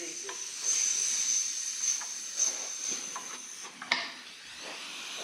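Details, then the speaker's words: Husky 17-gallon air compressor, previously repaired broken regulator-to-switch fitting: steady high-pitched hiss with handling clicks. Pressure regulator leaking air; needs a new regulator. "we'll have to get us a new regulator Regulators let's ride that see that yep we got to get us a new regulator darn it well at least it'll be an easy fix"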